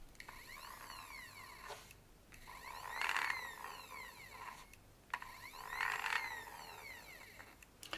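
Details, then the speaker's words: DIY pick-and-place parts dispenser, stepper motor driving through a middle gear instead of pulleys, motor running a bit warm: whirring whine sweeping with stepper acceleration and deceleration plus gritty gear chatter; gear drive noise suspected. "yeah it's a bit noisy I can't say I'm a fan of the noise but I don't really know what else to do"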